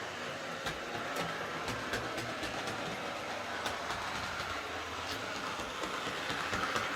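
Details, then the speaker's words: Hornby R041 GWR Class 57xx Pannier tank model loco after replacing the worn rear motor bearing behind the magnet and re-magnetising. A light, even whirr with only rail-joint clicks and no grinding or rattle; the motor runs much quieter and smoothly. "so it's definitely running an awful lot quieter with that new rear bearing"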